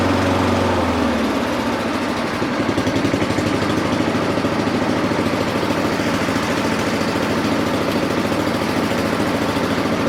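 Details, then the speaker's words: Honda lawn mower after governor adjustment, target 3,600 rpm, just started on choke; it had run high and never revved down. Engine picks up then holds a steady, even buzz without surging; governed speed now correct. "Okay, there it is. I wanted to make sure that everything was good to go for the turning off portion of it, but right now the engine speed is good."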